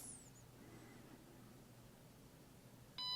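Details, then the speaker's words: GM MDI 2 clone J2534 scan tool powered from an external supply during its power-on self-test. A quiet room, then a short high chirp followed by a clean beep of about a third of a second; the self-test passed. "This time, I won't say anything, and you can hear that kind of successful chirp and then beep."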